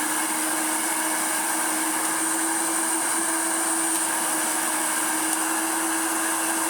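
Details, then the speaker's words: Hoover Turbomaster Electronic vacuum after new belts and bending the belt-shifter bracket to fix belts not sliding to off; steady high motor roar, even hum, no grinding or flapping; brush control restored, brush roll engaged and running normally. "to have solved the problem our turbo master now has brush control again"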